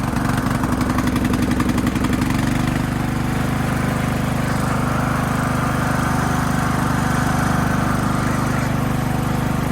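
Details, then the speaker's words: Craftsman LT2000 riding mower, single-cylinder engine smoothed out, first drive test on a battery; steady even drone holding smooth as it pulls away under load, no stumbling or knocking. Normal running. "Let's see if it drives. Got the engine smoothed out."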